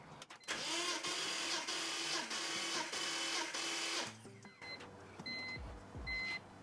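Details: BMW E46 with an N54 engine, compression test with the fuel pump relay removed, plugs out, throttle wide open, about six crank revolutions: even, rapid starter whirring with a steady compression beat; roughly 160–170 psi, healthy and even.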